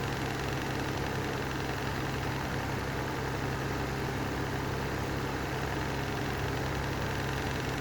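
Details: Lanson Style 3 exhaust fan that needs new bearings: a constant low drone with a rough, buzzy vibration running steadily underneath, pointing to worn fan bearings.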